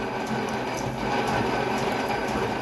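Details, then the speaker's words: Old lathe drilling a mini excavator pin after a better center drill hole: steady, even cutting whir with fine chatter and no grabbing or squeal; the drill no longer twists, cutting smoothly. "sounds a lot better i don't know how it sounds on camera but [Music] it's not twisting on that drill so bad"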